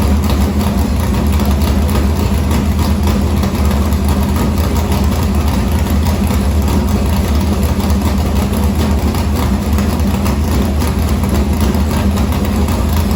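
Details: Morgan Machine-built V8 race motor (about 358), EQ heads, likely an Edelbrock Victor Jr two-barrel intake, 85 carburetor, started after sitting a week and a half with fuel line unhooked: strong even rumble, steady lope, no knocks or misses; normal idle.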